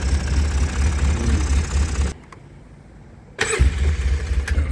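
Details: 2005 Polaris Sportsman 700 AWD ATV that sat about two years with rotten fuel, idling after first restart on a little choke: low steady thump with a brief dip mid-way, then picks back up and runs evenly; normal idle.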